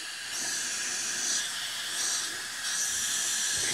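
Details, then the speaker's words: Craftsman self-propelled mower, 6.5 hp Briggs & Stratton, engine off, leak-down test; constant airy hiss of pressurised air escaping at the head gasket, besides exhaust valve leak; rings seem fine, valves blamed for low compression. "so it's definitely some wee thing coming out of the exhaust valve so bad valves or valve lash so definitely a leak coming from the head gasket"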